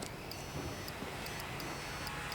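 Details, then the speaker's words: Dometic furnace in a rental RV that wasn't working: pressing the switch gives sharp crisp relay clicks about every half second on the board, so the switch works; switch was filthy with dog hair, high limit switch still suspected. "Well, switch works because I can actually hear on the board when I push the switch, it makes a noise. So the switch is actually working."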